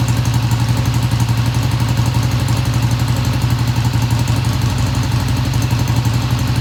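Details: 1971 Triumph T120 twin, first cold start after cleaning pilot jets: even, steady low thump about three pulses a second, no knocks or misses; idle fast at first then kicked down, healthy, no tach fitted.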